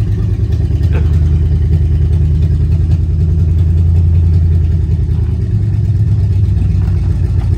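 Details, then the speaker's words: Four-wheel Alvis Stalwart petrol engine, first run in over 30 years, just driven off the lorry (first gear works): deep, steady low rumble with a slight lift in revs midway, no knocks or misses; engine sounds quite nice, normal running. "this is now a runner driver and to be honest the engine actually does sound quite nice seems to run all right"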